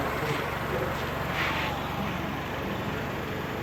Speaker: Got the charger hooked up. Motor's running. Belts are moving.